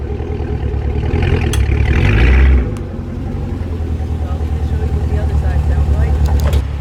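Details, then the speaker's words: Fifth-gen Chevrolet Camaro, hard acceleration: engine pulls with a quick string of multiple clicks from the rear axle and wheel area, worsening over two to three months; owner suspects a part separating under load, plans to inspect wheel and axle assembly. "other and that's what's causing that clicking because there's enough pressure that separates it and it just pops up and pops down which creates that click but as you guys heard there's not just one click it's multiple clicks if i accelerate hard enough"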